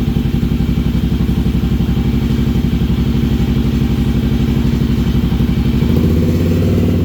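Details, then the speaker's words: Kawasaki KLR 650 single, first start after fixing wiring fault that gave constant power with key off: steady, even thump at fast idle about four beats a second on choke; healthy but needs jetting after 1,000 ft altitude gain. "All right, it runs. Only runs with the choke, so obviously we gotta do some jetting because I went up 1,000 feet, but here you go. It's healthy."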